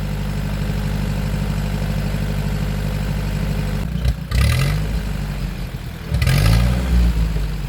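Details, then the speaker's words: 1947 Ford 8N tractor after carb adjustment: smooth idle then two clean rev-ups with no cough, whereas before adjustment revving choked and coughed; normal acceleration. "towards the end of this you'll hear when I rev it back up like straight up there's no cough there's no nothing so I think that I got it adjusted better"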